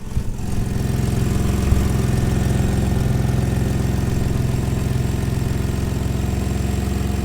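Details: 2015 Ford Taurus Limited after replacing a serpentine belt that fell off: starts cleanly and settles into smooth, low, even idle with no squeal or chirp; new belt drive sounds healthy.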